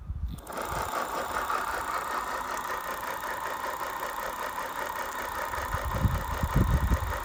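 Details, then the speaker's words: Bafang BBS02 750W 48V mid-drive motor at about 1600 miles, front chainring removed: a steady whirr with a coarse, gritty rumble. The main helical drive shaft bearing is filled with dirt, old grease and water and has heavy play. "I'm getting the dreaded grinding noise when it's turned on so I stripped off the front chainring and it now sounds like it's coming from here which would be the main drive shaft bearing"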